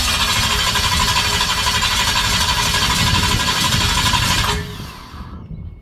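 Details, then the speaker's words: Chevy 350 small-block V8 in a Toyota Land Cruiser HJ75 Troopy, after head and rocker work: about four seconds of steady fast cranking that never fires; plug leads fitted counterclockwise on a clockwise distributor, also explaining the backfire. "it goes clockwise and I'll put the leads on counterclockwise that's what I did explains the black explains the backfire"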